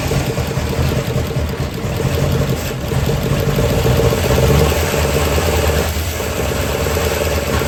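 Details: 1972 Chevy C10 small-block V8, start after rescue with a better starter fitted: loud, uneven, loping idle with a stumbling beat. Owner suspects ignition timing, not set exactly; plans to adjust the distributor.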